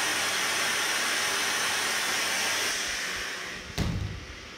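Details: Kohler K9 steam generator that had thrown error 5, after repair. A steady, strong hiss of steam that fades before a single thump. The water is boiling, nothing is leaking, and it is steaming normally.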